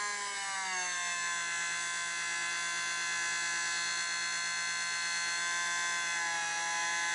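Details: DC permanent-magnet brush motor run on an AC line through a MOSFET split-wave speed controller that also charges a battery; steady high whine with many even tones settling and holding level, a bit of resonance from the motor, cause unclear.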